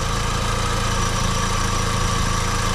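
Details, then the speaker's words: 2004 VW Golf 2.0 idling after a new A/C belt install, steering turned left and right: an even, smooth low hum with no squeal or chirp; compressor engages, both fans work, belt drive sounds healthy. "I think I heard it kick on the compressor is turning both fans are working you don't hear anything coming from the belt"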